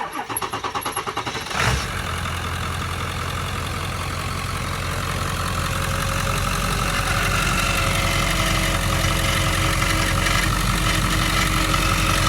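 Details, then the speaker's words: Ford 7.3 Powerstroke diesel cranks, fires and settles into steady idle with a rough, gritty grinding under the clatter, heard from up top; owner thinks it comes from the belts, unconfirmed. "Sounds like it's coming from the belts."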